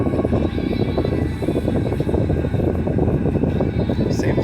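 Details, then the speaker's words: 2004 Hyundai Tiburon, 55,000 miles, after idle air control valve replacement: steady, even idle with AC on full, no dips, stumbles or stalling as before; radio faintly audible. Normal idle with AC on. "that's pretty cool seems like that that fixed it i'll have to do a test drive and see how everything goes but it's not stalling stalling like it was before"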